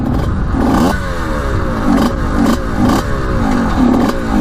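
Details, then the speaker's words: Suzuki RM125 two-stroke barn find, on its first ride after 15 years: revving unevenly while stopped, surging every second or so. The owner suspects it is running lean, though fuel was confirmed to be flowing. "i don't like the sound of that it sounds like it's not getting gas or something that sounds really weird"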